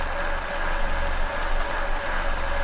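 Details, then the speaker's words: Petrol engine idling with an induced vacuum leak (finger over a pipe): faint hiss and bad stumbling, lean condition with fuel trim and injector pulse width rising to compensate. "And you can probably hear it hissing. And the engine's stumbling quite badly."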